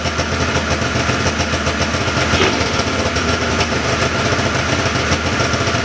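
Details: 1979 John Deere Cyclone 340 vintage snowmobile two-stroke after carb cleaning, no airbox or filter fitted: busy crackly idle holding steady without dying, a bit fast; idling pretty good, could use slight adjustment; normal idle.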